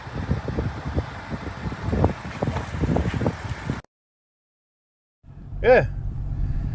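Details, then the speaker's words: BMW 650 at auction, 72,000 miles, near the age for timing chain gasket checks: short crank and chirp, then catches and settles into a steady even idle; sounds healthy. "But let's see how she sounds. I bet you she runs and drives or sounds good."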